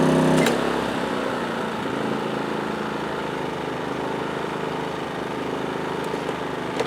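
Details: PowerSmart 2350W inverter generator as an 850-watt toaster is plugged in: small engine hums steadily, then settles into a firmer, slightly deeper drone as it picks up speed; normal load response.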